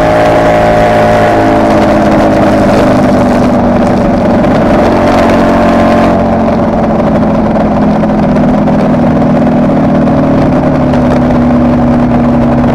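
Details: Kawasaki KR250A two-stroke at idle, recorded while the engine still ran: busy idle wavers and shifts tone partway; tachometer moves oddly, and as it connects to the misfiring cylinder's wiring, owner suspects an occasional misfire, appearing over the last three runs.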